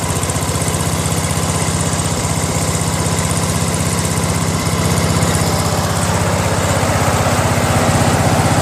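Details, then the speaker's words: Craftsman LT1000 lawn tractor, 21 HP Briggs opposed twin: loud low idle with heavy uneven thump and strong shake; right cylinder's exhaust only warm, spark plug wet with water, running on one cylinder. "okay I go over here to the right one and it's warm that's not hot look I put my hand on it so I don't think the cylinders running that's why the vibration because it's an opposed twin right"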